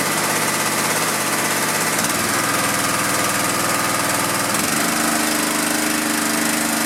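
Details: Honda GX pressure washer engine that sat 10 years, after carb cleaning, fresh fuel, coil re-gap, magnet cleaning, oil changes and pump mounting. A steady, even buzz that settles lower when the load changes; it runs clean with no misses.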